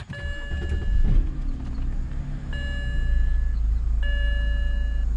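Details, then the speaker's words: 2007 BMW 328i E90 automatic, 248,000 miles; door chime, quick crank, catches into steady even low idle without stumble; service engine light on for EVAP leak detection pump and a VANOS solenoid code. Normal engine start. "But go ahead and give it a little start up here."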